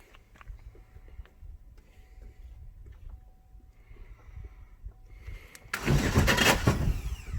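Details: Chevy Sonic after a 10-foot jump, starter relay stuck on: fast, light, uneven cranking with no firing, spinning too freely; suspected internal damage, timing belt found broken.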